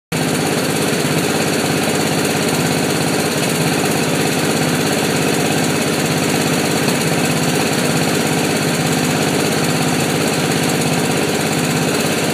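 Busy, rattly mower engine with an uneven, stumbling beat that keeps breaking rhythm: a misfiring single-cylinder mower.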